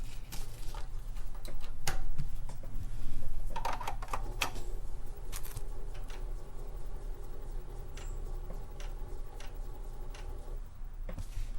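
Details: TRS-80 Model I floppy drive: quick uneven head-stepping clicks, about four a second, never settling as it keeps seeking and can't read the disk; possibly 40/80-track double-sided disks mixed.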